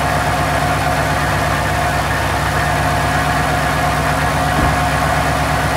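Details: Mustang idling after smoke seen: even smooth low rumble, no misses, knocks or ticks; idle sounds healthy though smoke cause unknown.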